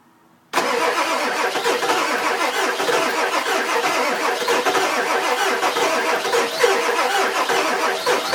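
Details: 2000 Ford F250 7.3 diesel, 208k miles, everything under the valve covers new except the injectors, new cam position sensor: steady rapid cranking, about four beats a second, never catches; crank, no start, owner suspects injectors.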